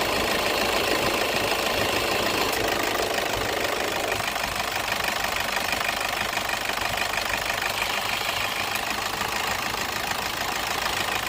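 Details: Toyota on AC compressor clutch magnet replacement: engine settles into an even idle under a lot of steady hiss, with no knock or misfire coming through; sounds healthy.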